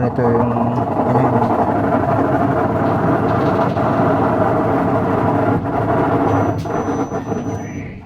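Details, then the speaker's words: Whirlpool top-load automatic washing machine, old unit, spin-dry test: loud steady droning roar with rough edge; technician says noisy spin dry is the usual gearbox problem on these Whirlpools. Noisy spin cycle. "Ay ganyan po ang laging problema, maingay sa spin dry. Kapag ganito po na Whirlpool, lagi pong ganyan ang nagkakaproblema yung niya. Gearbox po."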